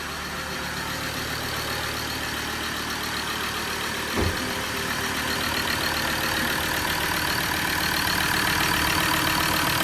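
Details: Recently bought Ford Ranger diesel with leaking injectors, a missing injector washer and loose bolts; it idles rough and very noisy, with a steady airy hiss over the knock from a badly blocked, blowing EGR valve.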